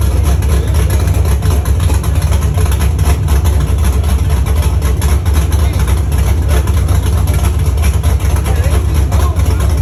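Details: First start of a Chevy truck's cammed 5.3 V8 (Texas Speed 232/234 cam, 110 LSA) after a build and after fixing wiring ground issues: loud, choppy, lumpy idle lope over a heavy low rumble; sounds good and healthy.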